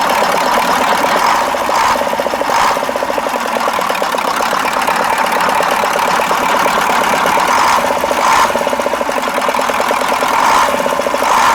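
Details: KAMAZ 65225 Euro-2 diesel truck after an engine-knock repair: even idle with steady injector clatter and a regular rhythm, no heavy knock; owner says it runs normally and the thin metallic knock is gone.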